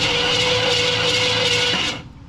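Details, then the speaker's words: 1969 Ford F250 352 V8, previously seized engine now freed, ignition off: steady even whirring crank with no binding or hitching for two seconds, then stops; engine turns over freely. "there's no key, so the ignition's off, so it won't start. It'll just crank over. So, we'll give her a whirl."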